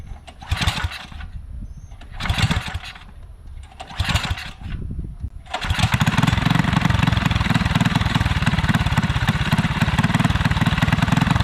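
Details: Small alcohol-fueled 212 go-kart engine that sat three months without draining the fuel, newly fitted torque converter: a few pull-start bursts, then it catches and settles into a steady, even run with no misses; starting and running fine.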